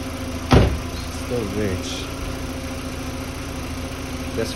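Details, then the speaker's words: 2005 VW Beetle (P0455 gross EVAP leak) after replacing faulty fuel pump and its faulty gasket: steady, even idle hum with no misses or knocks, some handling noise; runs better. "so so spec definitely run this better"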